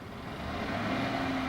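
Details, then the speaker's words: GMC Sierra 5.3 V8, 6-speed automatic, 182,000 miles, after highway drive: smooth, even V8 rumble with no ticking or puffing; possibly missing an exhaust bolt but no exhaust leak, normal. "it may be missing that exhaust bolt, but it doesn't have a leak. It's not making any noise."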